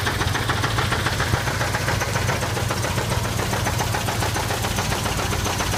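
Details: 1979 Chevy K5 Blazer with 350 V8 idling: steady, rapid knock about three to four a second over the low rumble; owner unsure whether flexplate or engine knock.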